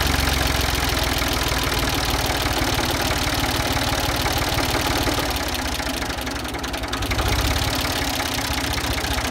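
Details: Ford 2000 diesel tractor running on Diesel Purge, smoky: idle with steady rapid hard clatter, suspected from bad injectors being cleaned, not confirmed.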